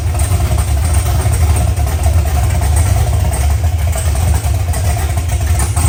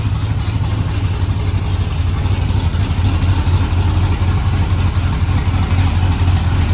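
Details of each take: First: OBS pickup V8 at first start-up, idling on open headers with a loud, deep, even rumble and no misses; it sounds healthy. Air-fuel ratio readings swing and read dead lean because the O2 sensor sits close to the header outlet. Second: Truck engine at its first start-up, idling on open headers with no exhaust fitted: a loud, uneven low burble that lopes and stumbles. The engine is running rough, and it is going on the lift to fix this.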